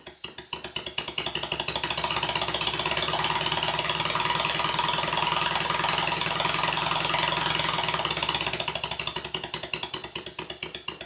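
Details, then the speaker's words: Stuart Sirius model steam engine before dismantling: crisp, even exhaust beats about three a second with a slight knock behind each; valve admission timed late and big end brasses slightly sloppy, causing the knock. "But the main difference is, this engine is late, the other one is perfect. But there is a benefit to running the admission slightly late. Generally, it will mean that the engine runs more slowly, but the bearings need to be in perfect condition to prevent the knocking."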